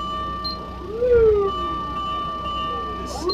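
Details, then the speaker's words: 1994 Toyota Dyna 4x4 diesel fire truck, ex-Japanese service, 6,780 km, 24 V system, engine running: clear wailing siren tone sweeping down and up in pitch; siren working normally. "this will switch on the top light and then you can operate your siren this is a bell sound this is the siren"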